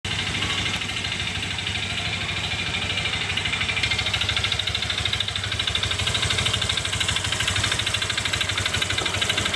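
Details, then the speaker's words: Honda Vario Techno 125 FI scooter at idle, harsh clattery knock about three a second; worn connecting rod with excessive side play, fixed by replacing the rod and oversizing the piston from 50 to 100. "nah ini berarti stang sehar mengalami keehausan ya jadi bunyinya di mesin kasar kita ganti setang sehernya"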